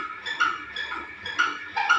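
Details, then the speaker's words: Household fan making light squeaky clicks about twice a second in time with the blades; owner suspects it needs oil or grease. "इस पंखे की आवाज़ आ रही है। और ये ना मतलब इसमें तेल पानी की अभी ग्रीस की ज़रूरत है।"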